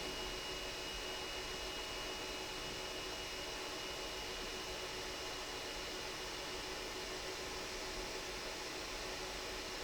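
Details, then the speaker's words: Elegoo Neptune 3 Pro 3D printer, front motherboard fan after about 4 weeks of use: steady fan hiss with a faint thin high whine from a sleeve bearing starting to wear, not yet in its worn-out buzzing mode; later replaced with a ball-bearing fan. "the front fan has got a tiny wine to it at the moment it's not in its buzzing mode it's not in it's really worn out knackered fan mode but um there's only a matter of time before it fails but you can hear a slight whine while that's coming from the front fan"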